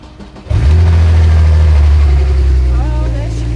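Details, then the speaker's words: Salvage Porsche 911 Turbo crashed at Le Mans, first start after entering ghost immobilizer code: engine catches and settles into a steady, even low idle with no knocks, misses or ticks; sounds healthy. "She sounds good. Sounds nice."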